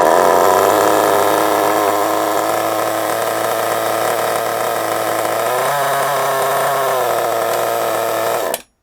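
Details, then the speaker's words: Kyosho MP9 nitro RC buggy after 2 years stored: a high buzzy run, then pitch sags and wavers before cutting out abruptly when braking. Idle is set too low and it stalls; the tick-over screw had likely vibrated out and is being turned in. "So, if we go around here, we turn our tick over screw in. I don't know why it ain't in. I don't know what the bloody hell was happening with it."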